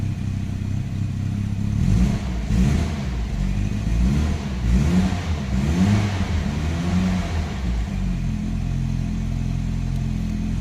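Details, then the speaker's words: Nissan Primera P10 1.6L GA16DS carbureted, 97 hp, cold start: revs surge and sag with repeated throttle blips, stalls without throttle and smokes from the exhaust; fine when hot; traced to a damaged carburetor valve, not the autochoke. "giving constant race acceleration if i don't give the engine don't stay on and he's give a lot of smoke at the at the back"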